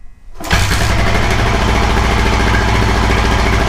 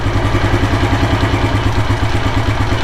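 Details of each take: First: 1984 Kawasaki KLR600, kickstart-only single, cold start on choke with the ignition on: it kicks over and catches on the first kick, then settles into a steady, even thump. Normal cold start. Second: 1984 Kawasaki KLR600 kickstart-only single, cold start after sitting 7–10 days, choke just removed, settling to idle: slow, loping thump a little under two beats per second, idling a bit low, adjustable with the idle speed screw.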